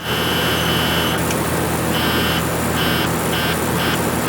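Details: TIG welder under repair with the high frequency switched on and the relay contact point adjusted to sit mid-gap, not touching: a harsh buzz cuts in and out in short bursts over a steady hum as the HF relay contact chatters and fails to close.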